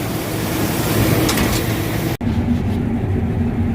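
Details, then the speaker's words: Combine harvester running after the tailings chain was tightened slightly; loud steady roar with even rumble, the earlier squeak from the chain now gone, running normally. "Don't hear that squeak. I did tighten up."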